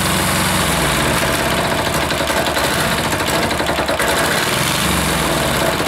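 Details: Air-cooled single-cylinder diesel just reassembled, idle adjustment off: uneven stumbling, surging thump instead of steady idle, smoke; rough running, owner suspects air in fuel line or leaking fitting sucking air.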